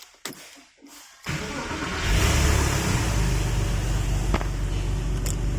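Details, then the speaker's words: Porsche 996 first cold start after IMS bearing service and engine reinstall, coolant system pressure-tested leak-free: starter cranks briefly, catches instantly, flares, then settles into steady high cold idle, no knocks or smoke; oil pressure five bar, normal. "as you can see that was a cold start usually best thing this way to do a check on the car is to a cold start"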